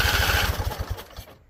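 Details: Husqvarna Z254 mower engine, after a PTO clutch install. A quick burst of firing on carb spray slows, stumbles and dies within about a second. Catches but won't keep running; owner suspects flooding or a non-venting tank.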